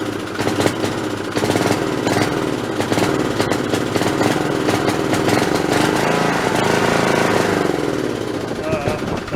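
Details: Snapper 3081 riding mower that died suddenly mid-mow, fitted with a known-good plug from a snowblower: ragged chugging with stumbles and surges, misfiring and backfiring. Owner suspects a failing coil/magneto. Ignition fault.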